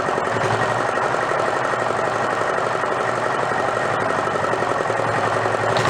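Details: Renault single-cylinder marine diesel revived after about 20 years in a shed, with fuel now through the pump and throttle all the way down. Loud, steady, rapid chugging with a raw unmuffled bark and no misses. Won't shut off without starving the air. Normal running.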